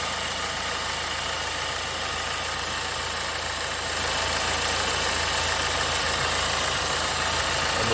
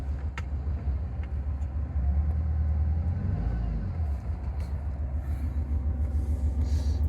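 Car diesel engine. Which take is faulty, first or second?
second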